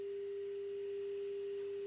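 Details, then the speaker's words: Telefunken Operette 6 tube radio after restoration, replaced faulty ECH81 tube that made the tone fluctuate when wiggled: steady pure 400 Hz test tone over faint hiss, no wavering or crackle; now clean. "I noticed that when I was wiggling with the the tube it was fluctuating in the the tone and everything and then I just swapped out the ech-81 and it's much better"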